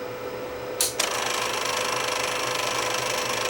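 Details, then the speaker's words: Tape deck damaged in shipping: clunk as play engages, then a fast, uneven rattle of about three ticks a second from the transport; sounds dry or damaged, lubrication planned, cause unconfirmed. "first things first we're going to lubricate this thing and try to get that noise to quieten down a bit"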